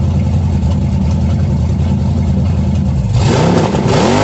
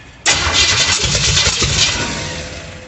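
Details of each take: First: 350 V8 in a 1937 Dodge Brothers, first start after correcting firing order: catches and runs strong, revs swinging smoothly over a steady lumpy idle, no misses or knocks; idle a little low, timing unverified, carburetor unadjusted. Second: 1937 Dodge Brothers with a 350 engine on its first start: catches suddenly with ragged, uneven sputtering bursts that fade out. The distributor was 180 degrees out, wired for Ford rotation, and had no vacuum line. It fired right up once the firing order was corrected.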